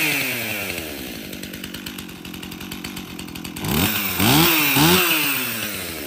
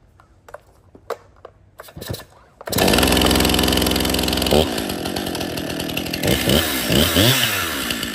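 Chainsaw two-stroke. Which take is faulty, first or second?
first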